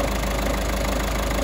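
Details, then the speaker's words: Peugeot 3008 1.5 diesel after repair of a customer-reported ticking at idle: even, steady idle with no ticking or clatter; the engine runs smoothly and sounds healthy. "all righty guys the pujo lives and breeds she starts and runs and sounds quite good to me"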